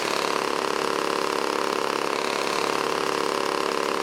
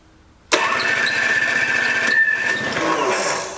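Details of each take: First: Old 1980s Toro S-200/S-620 snowblower two-stroke engine, tilted back while running to clear old fuel from the crankcase. Steady, even buzz with a regular beat, no misses or surging; running cleanly. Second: Old 1980s Toro S-200/S-620 two-stroke snowblower, spark present but plug dry, given a shot of priming spray: engine bursts into life, runs rough about three seconds, then fades and dies, burning only the spray; cause suspected, unconfirmed.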